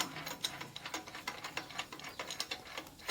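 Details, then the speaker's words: Honda GP160 water pump engine stored unused for a long time: rapid ratcheting pull-start clicks with no firing; spark plug stays dry, so fuel isn't reaching it, suspected clogged carburetor with sediment from old gasoline. "แต่ว่าเก็บไว้โดยที่ไม่ได้ใช้งานน่าจะเป็นเป็นเปียครับพอมาก็เครื่องไม่ติดครับ"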